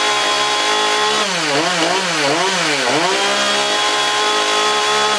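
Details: Husqvarna 440 X-Torq chainsaw with a new oiler, bar, chain and sprocket, test-run for oil flow: clean two-stroke howl, blipped up and down a few times then held steady, revs picking up crisply and settling evenly; running fine.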